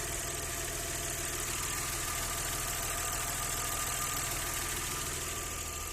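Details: Audi 100 C4 2.6 engine at steady idle with a fast, fairly regular tapping knock, about three per second, over the engine hum; owner asks what is knocking, cause unknown.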